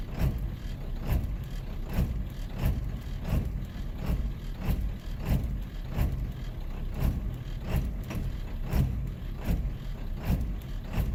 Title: 7.3 l diesel rough idle on startup